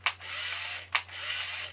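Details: Point-and-shoot 35mm film camera from 1990 with switchable panorama mode: three short crisp motor-wind whirrs with clicks about a second apart; film winding works normally.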